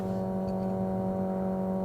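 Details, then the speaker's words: 1957 Chevy 210 hot rod barn find, long-sitting, first start after adding fuel and fuel pump priming: fired right up immediately, steady even running with firm low tone, no knocks or misses; smooth idle. "Holy, I mean, I'm shaking. It fired right up immediately."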